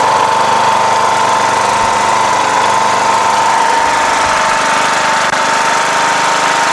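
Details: Rebuilt 17.5 HP Briggs OHV single repowering a Craftsman LTS1500 lawn tractor. It makes a steady, fast, high-pitched drone with no dips, idling well above normal; the throttle is sticky and needs adjustment.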